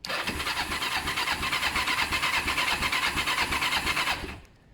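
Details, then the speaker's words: Kawasaki ER-5 after wiring cleaning, new fuel hoses and carb clean, with clutch switch wires joined as a permanent fix; starter spins the engine strongly with an even chuff about three per second; normal cranking. "um nice to hear the engine turning over turns over fine when it sounds I want to start now"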